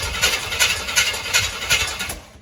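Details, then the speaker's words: 1966 Chevy truck with a non-factory big block and Edelbrock carburetor, cranked after sitting, with fresh gasoline and a rough carb: slow, even cranking beats about three a second that catch roughly, firing up. "i stand corrected this is a nice surprise so uh it's got fresh gasoline in it i know the carburetor is a little rough"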